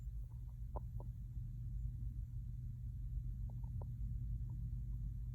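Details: 2021 Jeep Gladiator with engine and heater off: faint short chirps in small irregular clusters over a low background rumble; intermittent squeak/beep, source unknown.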